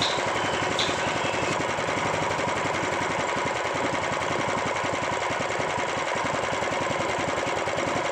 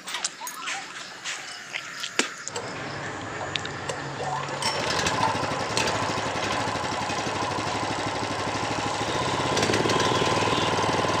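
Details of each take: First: Honda GX390 small engine, hard to start: harsh rapid clatter, clicking and steady knocking over the running engine; cause suspected, not confirmed, before teardown and repair. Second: Honda GX390 engine, previously hard to start with harsh rattling noise, after teardown and repair, crank turned to circulate oil and plug refitted: catches after a few pulls, settles into a steady even beat with no knocking; normal idle after repair.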